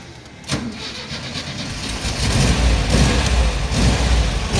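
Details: VW Kombi starting after repairs following smoke/fire scare: weak cranking for a couple of seconds, then the engine catches and settles into a rough, loudening idle; it starts fine now.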